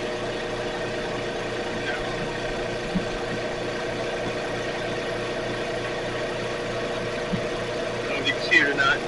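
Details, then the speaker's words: Air compressor after repair, previously running without making air because a loosened back piece slipped: steady motor hum with even regular pulse, no knocking or grinding, building air smoothly; normal running. "And as you can see, it's working."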